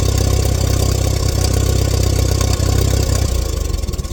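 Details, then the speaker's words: 1947 Allis Chalmers WC tractor that fired but wouldn't stay running, after checking fuel and adjusting the idle mixture screw: steady, even chuffing at about four beats a second, no stumbles, a smooth healthy idle. "so the io mixture screw allows it to well as it says idle so it's running on Lower RPMs um while still keeping the engine hot and obviously running"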